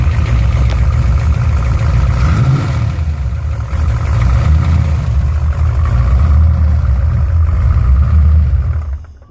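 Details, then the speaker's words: Engine run after shaving parts with an angle grinder for clearance and tightening the other side (68-tooth pulley fitted): deep, loud, revs rising and falling, no rubbing from belt area; normal running. "So I'll start it up for y'all so y'all can see it ain't rubbing no more. Hopefully my neighbors don't get too upset."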